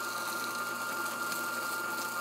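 Constant buzzing hum with a steady high note and no knocking or surging; the vibration pump sounds like it's running normally.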